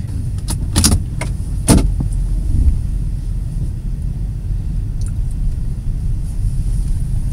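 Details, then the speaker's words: 2008 Nissan Pathfinder V8, cruising at about 70 mph on smooth grooved concrete, recorded on a tablet. A deep, steady drone under road rumble with no knocks or whine. Healthy. "yes before and it's gonna probably tell just from the video crews along there's no sound difference at all"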